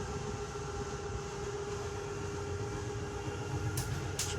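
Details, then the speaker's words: 2022 Jayco Eagle 330RSTS slide-out extending: steady hydraulic pump hum, then sharp clicks as it reaches full travel, the normal sign the slide is fully out; same noise on retract. "as soon as you hear that clicking sound that's going to be your indication that uh the sound is fully extended it's gonna make that same noise when you uh retract it"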